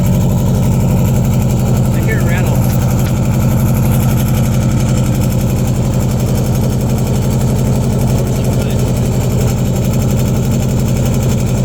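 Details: 2002 Subaru Impreza WRX with DNA Motoring turbo-back exhaust and silencer fitted: loud, deep, even idle burble with a steady pulse and no misses; still pretty loud but healthy.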